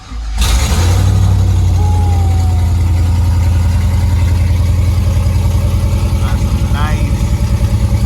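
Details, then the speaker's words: 2000 Camaro SS, first start after a junkyard 5.3 LS block and heads replaced the knocking original engine; spilled oil burning off. V8 fires at once into a strong, even, loud rumble with no knocking through the revs; normal running. "actually it sounds good you actually sound good and back in a game"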